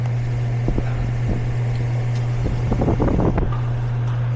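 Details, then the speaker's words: Goodman air conditioner that won't turn off and gives no cold air: only a steady, low condenser fan drone with no compressor hum; the compressor is not running, low refrigerant suspected. "I don't think I hear the compressor running. Yeah, compressor ain't running."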